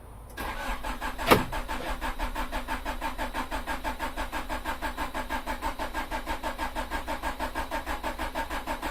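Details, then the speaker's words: Honda Prelude, first start after six months and a major overhaul, with a new fuel filter fitted: steady, even starter churning with no catch. Extended cranking, likely while fuel fills the new filter. "the new fuel filter on so it's going to take a while for the fuel to come through"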